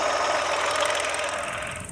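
A steady mid-pitched whine rides over the three-cylinder's idle with a light rattle; the alternator belt tensioner is the source.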